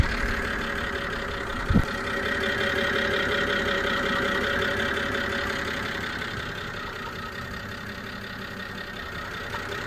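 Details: BMW E92 325i petrol idling slightly unevenly with a steady high-pitched screech, heard with the bonnet open; started after an engine cleaner; vibration, NOx sensor replaced, then combustion misfire code; owner suspects an air leak of unknown location.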